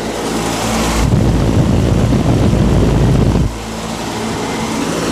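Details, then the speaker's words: 10-ton ZF120 commercial package unit. One condenser fan motor, drawing 2 A versus 1.9 A on the other, gives a loud steady roar with a rough, churning low rumble. Technician suspects that motor is bad: condenser fan motor bearing noise. "And I bet you that's the motor that I think is bad. That's got the loud noise. Now, based off of noise, let's see if you can guess which motor it is uh that we need to replace."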